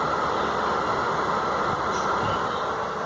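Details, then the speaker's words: Manufactured-home bathroom exhaust fan with a newly installed replacement motor, test run before tightening: smooth, constant whir with no wobble, scraping or rattling; runs evenly and healthy. "If I turn it on, oh, I hear it. Let's see. Spinning nicely there."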